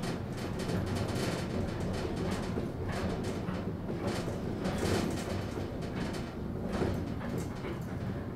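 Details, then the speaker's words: Elevator, pump motor heard during the ride: rough, labored, strained drone; motor sounds sick, as if about to die; the rider believes it has long been running low on oil. "You notice how sick the motor sounds? It's been struggling with low oil for so long. This thing sounds like it's going to die,"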